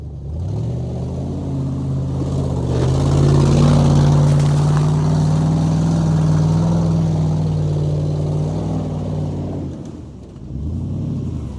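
Engine revs up and holds with a raspy, chuffing edge riding over the exhaust note, typical of an exhaust leak under load.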